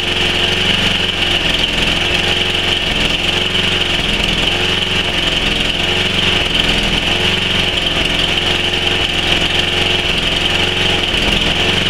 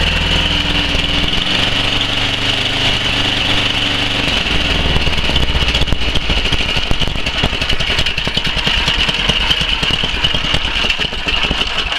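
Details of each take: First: Tecumseh Snow King 11 hp on a Murray Select snowblower, cold start near -10 °C: off choke and off load, revs rise and sag in a slow surge; fine under load; caused by a clogged carburetor air jet. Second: 11 hp Tecumseh Snow King on Murray Select snowblower after the fix, still slightly cold: fairly steady, slightly rough low-speed running holding idle without dying, where before it died below half throttle; normal idle.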